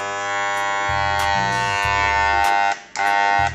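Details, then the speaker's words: Cordless hair clipper that was previously dropped, running with adjustment screw loosened: harsh loud electric buzz with rattly edge, weak power; displaced motor core inside. "Kau gerak cuman dia bunyinya makin bersih seharusnya Kalau pengaturan sebelah kanan ini dikendorin otomatis dia harusnya bunyinya semakin halus ini ditanya ada masalah di bagian dalemannya"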